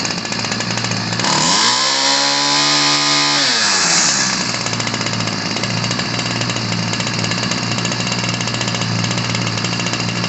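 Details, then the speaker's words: Ryobi 725r EZ gas string trimmer from the 90s, two-stroke, fresh fuel lines and filters: buzzy idle, blip to high scream, back to blubbery idle; running rich, spitting fuel that clogged the air filter, before high-speed carb screw adjustment. "all right so it was spitting fuel out at first and that was the issue it was clogging up the uh air filter and making it really bug out when this was on there"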